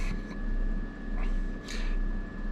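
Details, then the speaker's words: 1990 Chevy R3500 squarebody dually, new budget aluminum radiator with twin electric fans and shroud: steady low fan drone with a slow wo-wo swell about every 0.7 seconds; owner suspects one fan may be out of balance. "sounds like one of them may not be in Balance I hear a little wo wo wo w w okay whatever um these fans are not the best in the business"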